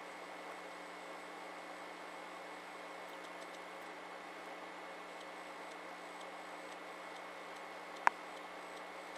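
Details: SV2000 VHS/DVD recorder combo: quiet steady whine and faint hum broken by sharp clicks from the mechanism when ejecting; abnormal mechanical noise, said to be common to every unit of this model.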